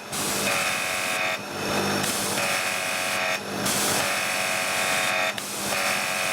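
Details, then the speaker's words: Annovi Reverberi pressure washer after repairing a jammed, stuck valve, now reaching its rated 1000 psi (70 bar): a steady, bright pump whine dropping out briefly every couple of seconds as the trigger cycles. Normal running. "not bad that's working fine now i fixed it that's max as tires it goes 1500 psi"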